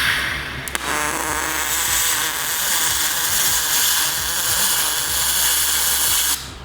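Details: Spool-gun MIG welding aluminium on auto-set pulse mode: even, steady buzzing crackle for about six seconds with no sputter or breaks, clean arc. Normal pulsed MIG arc.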